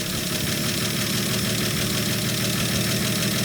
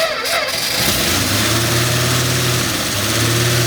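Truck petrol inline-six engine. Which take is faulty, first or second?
second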